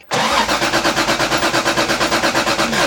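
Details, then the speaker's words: Toyota Supra rally car cranking steadily at about two beats a second but never catching after ignition timing adjustments; no spark found, traced to an unplugged distributor connector. ">> That sounds so close. >> It's very close. Let's check for spark."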